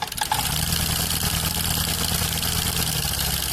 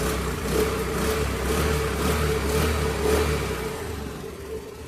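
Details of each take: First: Honda Activa 6G scooter at idle: fast, sharp, heavy metallic tappet ticking that returns despite repeated tappet adjustment; caused by both worn rocker arm bearings. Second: Honda Activa 6G after replacing two failed rocker bearings that caused a heavy tappet noise which repeated tappet adjustments did not cure: steady, even putter with a smooth low hum and no tapping; normal idle after repair.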